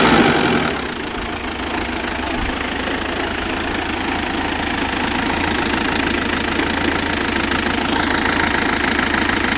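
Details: Mitsubishi Pajero: uneven, lumpy loping idle; smooths out with a bit of rpm with only occasional hiccup; cause unknown.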